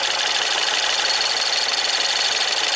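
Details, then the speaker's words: Ford EcoBoost van with an intermittent P0106 code, running with the high-pressure fuel pump solenoid unplugged: dense, fast metallic jingling and ticking from the high-pressure fuel pump area, with no code set. "now I know these things make sounds but it sounds like Jingle [Music] Bells"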